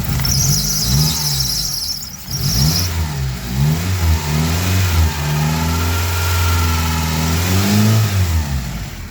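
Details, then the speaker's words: 2003 Mitsubishi Eclipse (3G): the earlier engine noise is gone. A high steady squeal sits over the engine, then fades as revs rise and fall. The mechanic suspects the alternator belt is slipping; an oil leak was also found. "Bueno pues ya no está haciendo el otro ruido ahora tenemos ese ruido del alternador pareciera que es la banda voy a acelerarlo un poquito"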